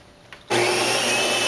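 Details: Saeco Vienna Plus coffee machine, about six months old, while brewing: loud harsh whirring with a steady thin high-pitched screech, not every cup; cleaning per Saeco didn't help, returned after repair; cause not identified.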